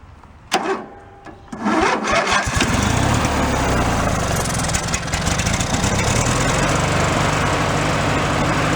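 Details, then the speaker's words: Free old Craftsman hydrostatic riding mower with a single-cylinder engine, restarted on its own old fuel. After a short stumble it holds a steady, even rumble with no knocks or misses. It runs good and seems a good motor, though it starves below a certain rpm and the carburetor needs cleaning. "soon as we went down below a certain rpm it starved itself but it runs good seems to be a good motor"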